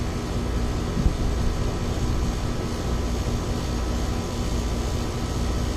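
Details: Ameristar 4-ton AC condenser in 106F heat after replacing a bulged, failed Genteq capacitor with a Mars 60/5: steady even low hum with constant fan rush, no clicks, buzzing or rattles; about 18 A draw, running normally.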